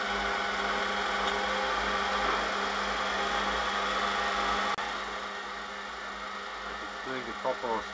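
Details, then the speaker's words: Brush-type washing machine motor after speed-encoder fix with new bearing, aluminium piece and stainless bolt holding the magnet ring, running speed steps; even whine at steady pitch with one faint click, no rattle or grinding: normal motor speed steps. "Sounds alright to me."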